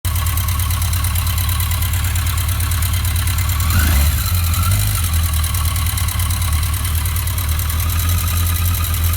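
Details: 1982 Yamaha XJ650 Seca four-cylinder motorcycle idling with a light, quick ticking over the steady low exhaust note; owner worried, cause unknown.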